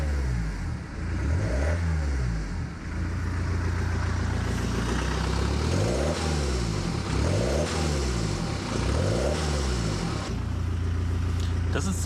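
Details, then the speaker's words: BMW X1 diesel running with the exhaust removed during flex disc (guibo) replacement; loud raw drone with a deep booming bark rising and falling with revs, completely unmuffled. "Sounds like a base boosted fart cannon if you ask me. How do you like it? Should I leave it like this?"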